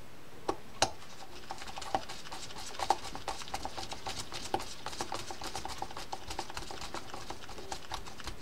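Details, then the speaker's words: Penn Sargus 64LP low-profile baitcasting reel after disassembly and service: crisp, even quick clicks as the spool turns; the clicker is working properly. "all right you can hear that that click is working now okay so we're good with that"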